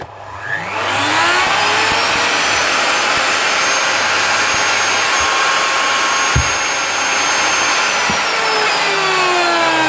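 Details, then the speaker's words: Old blue Ryobi router getting noisy, switch still fine. It spins up to a high steady whine over a rough gritty hiss, then winds down, from worn motor bearings that need replacing. "rter working but getting noisy so most likely baring the switch hasn't failed or anything"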